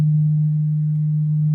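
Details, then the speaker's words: Audio-Technica AT-LP120XUSB turntable connected directly to a Dell computer: a steady low hum at one pitch, worse when left sitting. Owner suspects the computer connection or the built-in preamp. "Okay, you hear this hum? It's actually worse when I just let it sit."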